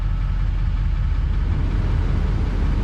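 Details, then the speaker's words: Duramax diesel truck at auction walkaround, AC blowing hot air: steady even low diesel clatter at idle, no misses, knocks or surging; normal idle, runs really good. "yeah nope well she runs and runs good it runs really good if you ask me"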